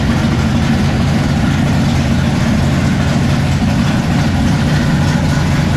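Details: 1957 Chevy pickup big-block V8 at first fire-up with the new exhaust (Black Widow mufflers, 3-inch mandrel-bent pipe): deep, loud, even rumble with a steady beat and no knocks or misses, a clean idle.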